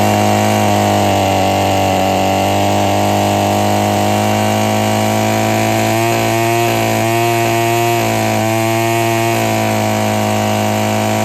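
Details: Husqvarna trimmer after freeing a sticking trigger and adjusting the carburetor: steady high-revving two-stroke scream at full throttle with the string whistling on top; normal full-throttle running.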